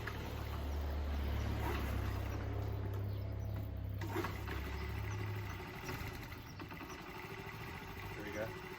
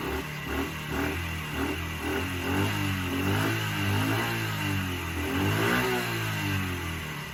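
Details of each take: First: Small motorcycle that sat with old fuel, refilled with fresh gas after several kicks: low, uneven putter runs a few seconds then fades and quits when revved, old fuel still clearing; flooded carburettor stalling when revved. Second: Small motorcycle that would not start on old fuel, after refilling with fresh fuel and kicking old fuel through the carb: picks up smoothly through throttle blips and settles without stumbling; runs healthy once old fuel replaced.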